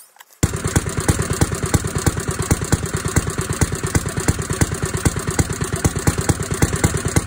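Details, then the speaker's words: 1937 Briggs and Stratton Model A single-cylinder engine running about a minute after restoration: even, regular thumping with no knocks, rattles or abnormal noises; runs smoothly. "it ran and it sounded pretty good no abnormal noises or anything unusual no knocking nothing"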